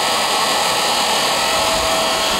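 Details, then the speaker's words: Rebuilt Raymond electric motor with new brushes and holder, running on old lead acid batteries in 20-minute cycles to seat brushes: steady high-pitched whir, even hiss, much quieter; normal running. "that's all the batteries will do so they're just old lead acid batteries they got sitting around and put them on the charger and let them charge up and they'll do about 20 minutes with some decent rpm"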